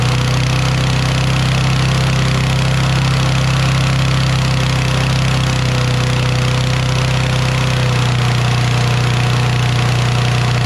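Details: Toro Recycler XT675 mower with Kohler engine: a loud, steady high-speed drone that never settles to a lower idle. The governor was adjusted the day before, but the engine seems to be still over-revving. It started after a couple of pulls.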